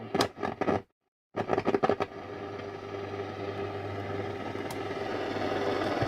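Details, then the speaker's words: Nordmende Transita Deluxe portable radio switched to shortwave: band-switch clicks, then steady rising hiss with low hum and faint tone; shortwave band sounds lively, normal band noise. "sounds to be Lively enough let's clip an area on it see if we can get any uh any shortwave action"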